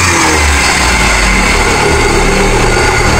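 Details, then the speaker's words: Kia Pride, idle rising and falling, engine running very hot, before testing the water pump: loud, rough roar under revs with busy mechanical clatter; noisy engine suspected internal wear, top overhaul planned. Cause unconfirmed. "Okay guys, test muna natin yung water pump. Kung yung water pump yung maingay dito sa harapan, bukod tayo ibang problema."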